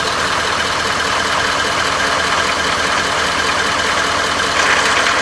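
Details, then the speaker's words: Ford 6.7L diesel on restart in warm Florida weather, low oil pressure warning: sharp, busy, fairly regular clatter over the diesel rattle at low idle; owner says one part causes it, only between 68-95°F; cause not confirmed. "yes it still got low oil pressure I can hear it this is amazing"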